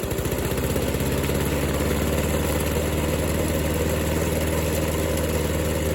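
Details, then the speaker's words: Old, uneven lawn mower after pressure washing (exhaust filled with water) starts and runs: even, steady single-cylinder chug at constant speed with no misses or knocks; normal running. "Now that we know it runs, let's get back to work."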